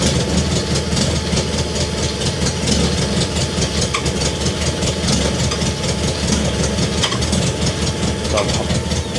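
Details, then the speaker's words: BMW K100 motorcycle after fuel pump replacement: noisy, lumpy idle with irregular clatter and uneven firing, and it cuts out as soon as the throttle is opened. Rough idle; cause not confirmed. "interesting so it idles but as soon as I turn the the throttle it cuts out"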